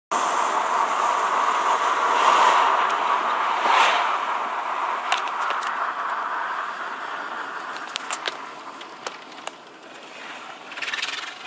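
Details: TDI 150 cabin blower fan noise: a steady airy rush with a few light clicks over it from the ventilation fan, not the engine.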